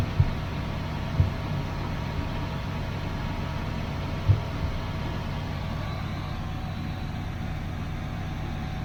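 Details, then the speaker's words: 1981 Chevrolet Camaro Z28 V8, carburetted, newly connected loud electric fuel pump possibly not pumping: low uneven idle with early hard thumps, then sags and dies; owner unsure it is fuel starvation, says it has been dying like this before. "Oh, now it's dying. That might not be because it's run out of gas. That's just what it's been doing."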